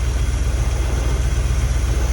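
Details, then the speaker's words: 1950 GMC on an S10 frame with new exhaust and solid mounts, on a cold roughly 20-degree morning: deep, lumpy, rough idle while timing is set by guess because the timing cover doesn't match the balancer; carburetor also suspected. "all right so we've got the 50 running he had exhaust put on it we're tuning it out right now and it's uh actually running pretty good we're messing with the timing trying to get it right timing covers don't match the balancer so we're just guessing"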